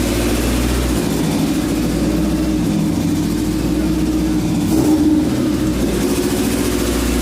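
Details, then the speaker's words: Honda EF chassis, PGM-FI, restarted after distributor adjustment and reassembly: idle wanders up and down with one noticeable rise midway, still surging; cause unconfirmed. "so we're gonna go ahead out we didn't clean the ayah back it's still idle surging"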